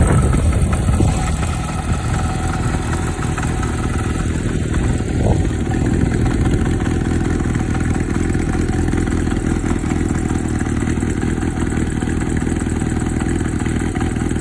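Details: 1990 Kawasaki Zephyr 550 idling: steady four-cylinder idle with a light mechanical chatter from the top end. The cam chain tensioner is fully forward and the owner suspects a new cam chain is needed; not confirmed.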